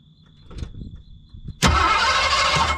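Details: Drag car on road trip, after distributor swap, distributor cap off to check rotor rotation: a few soft knocks then steady starter whirring over a second with no firing; cranks but won't start.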